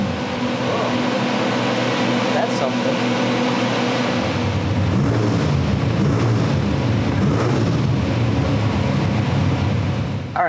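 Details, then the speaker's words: Old-school small-block Chevy with 8-stack mechanical injection in a Fiat drag car: engine pulls up rough and uneven, then stumbles and dies instead of going to wide open throttle; suspected too little fuel, intermediate bypass to be checked. "the way it stalls out on it it definitely sounds I would lean more towards it doesn't have enough fuel in it"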